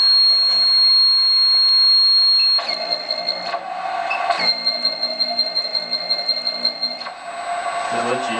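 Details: Servo motor buzzing: a high, thin buzzing whine with a pulsing edge comes and goes as the servo moves; cause not stated.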